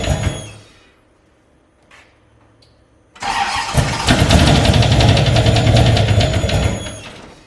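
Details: Turbo LS-swapped Fiero, first run without coolant after retightening intake: cranks, catches and settles to a lumpy uneven idle of about three pulses a second; owner suspects an intake leak at an oversized throttle body opening.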